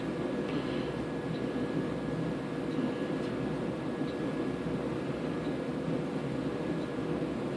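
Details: Samsung DV218AE dryer test run after heating element replacement: even drum rumble with a faint steady whir and no scraping, squeal or thumping. It is already warm, so the new element works and the dryer runs normally.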